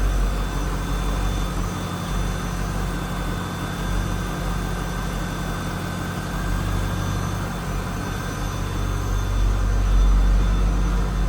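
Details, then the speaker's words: 1999 Chevrolet Corvette C5 convertible, LS1 V8, about 68,616 miles: deep, steady, even burble with no misses or ticks; normal, smooth, healthy idle. "Nothing crazy over the top for an exhaust. No, anything like that. Sounds like a nice running C5. There it is. LS1 power plant."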